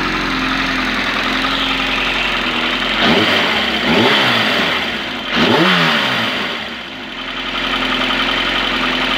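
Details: Yamaha XJR 1200 after carburetor synchronization: a smooth, even four-cylinder idle with a few quick throttle blips that rise and settle cleanly, with no hunting or stumbling.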